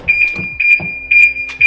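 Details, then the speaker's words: BMW E46 M3 after a new battery was fitted: loud high-pitched beeping about two beeps a second, steady and even; the alarm works, and the car then started with no issues. "Well, the alarm works. I'm not sure if you can hear me or not, but yeah, it started, no issues whatsoever, and I'm happy."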